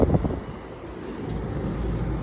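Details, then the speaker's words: Carrier rooftop HVAC unit, restaurant dining side at 81°F with cooling and fan called but nothing: after a thermostat reboot and its two-minute delay, a brief thump then low steady rumble under wind; unit runs normally, bad thermostat was the cause. "And ladies and gentlemen, now we're running. Bad thermostat."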